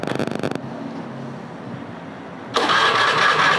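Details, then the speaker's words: Honda Beat FI scooter: the starter whirs the engine over steadily but it never catches; the fuel pump does not hum and there is no ignition, with fault blinks from a failed ECU. "ini pulpam tidak dengung dan pengapian pun Hilangnya"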